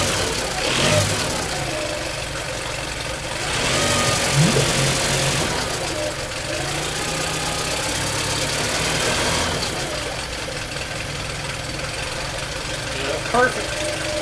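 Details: Yamaha 9.9 four-stroke outboard, hard starting from a weak electric choke, fitted with a manual choke knob and started on choke: engine catches, revs briefly, then settles into an even idle; starts and runs cleanly.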